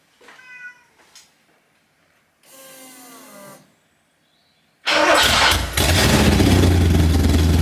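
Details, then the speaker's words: Porsche 928 V8 idling after fitting a homemade stainless steel exhaust with a short straight-through front silencer and X-pipe: deep, loud burbling idle about 87 dB, down from 91 dB. "Right, so we're sitting about 87 decibels, I guess. It was up at 91. I wasn't expecting a massive drop because the silencer is about that long and it's straight through, just got the X pipe in the middle of it."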